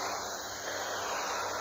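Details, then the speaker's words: Old Radio Shack AM radio, model 12-467, held near a 110 V outlet in an off-grid solar cabin: only a soft, even ocean-like hiss with no buzz, which is normal, with no dirty-electricity interference here. "that's normal. That's nothing. Just white noise. It's nothing."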